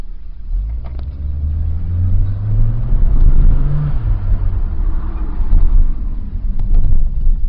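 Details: 2001 Nissan Sentra SE 2.0 at idle: low, uneven rumble that surges and sags irregularly; rough idle, slightly improved by a fuel pump replacement and cured by replacing the weak mass airflow sensor.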